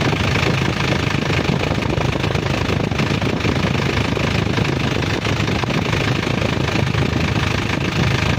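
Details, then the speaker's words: Isuzu Elf NLR 55 diesel after crankshaft replacement, cold morning start, oil pressure up: even soft low rumble, no knock or misfire, faint smoke; normal idle after repair. "suara nya udah anteng empuk halus dan normal ya Lur"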